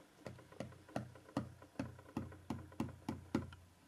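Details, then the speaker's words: 3D resin printer vat film checked after failed prints sticking to it: about nine crisp, drum-like taps in three seconds, each ringing briefly, showing the film is properly tight. "can hear the noise it makes because it's tight"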